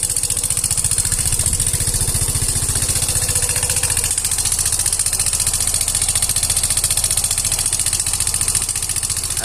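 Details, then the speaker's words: Yamaha Fino 125 scooter with engine noise complaint: fast, loud, dry clatter (keletek-keletek) riding on a steady low idle beat; engine clattering at idle. "Pada video kali ini saya kedatangan Yovino 125 dengan kendala suara berisik dari bagian mesinnya teman-teman. Teman-teman sudah melihat tadi, mendengar bahwa suaranya sangat berisik sekali."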